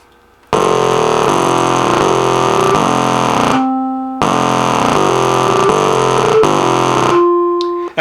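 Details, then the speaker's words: NuTone LA60 musical door chime over 30 years old: harsh buzzy electronic drone with clicks replaces the tune, briefly broken by a clean note, as the song tries to play; fault is not the speaker cone. "And what you heard something like out of a science fiction movie. All these weird buzzes and clicks and buzzy sounds. And then there's a note that sounds pretty good. And then it does it the same thing over again. And what you are actually listening to is the actual song trying to play."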